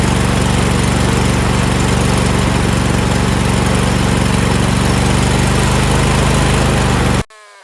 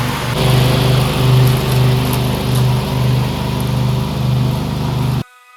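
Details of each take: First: Briggs V-twin on a DLT 2000, first start after four new pushrods (three bent, one missing), a new head gasket and other work: a loud steady run at one constant speed. The throttle does nothing; linkage is wrong and the carburetor seems blocked, with some leakage. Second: Briggs V-twin on a DLT 2000 after replacing bent pushrods, both head gaskets, one cylinder head and the carburetor: a strong, even drone holds steady as the 48-inch mower deck takes load, with no misses or knocks. Running healthy.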